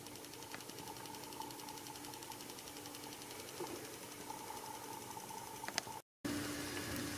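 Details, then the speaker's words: Tesla Chargers 2.5A12 EX pulse charger on a 7+ year old 12V Datsun starter battery drained to about 2 volts: steady electrical buzz with fast even ticking hammering away; normal pulse desulfation charging. "this thing is going to last for years you're gonna hear it hammering away"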